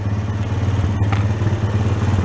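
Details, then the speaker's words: Honda Sport Trac ATV single-cylinder after cracked case repair and carb blown out again, gas tank temporarily supported, air cleaner off: low steady thump with light valve clatter at a consistent idle; now running properly. "Let's see if it likes to play better now. Oh, there you go. I guess I just missed something in there, huh?"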